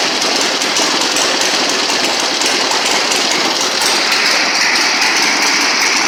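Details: 1960 Harley-Davidson Sportster Ironhead, unused since 2010, first kick-start in about 10 years after magneto points/condenser check, carb service, fresh gas, timing and points set: loud, raw, steady lumpy thumping from open pipes, holding rhythm without missing; normal idle.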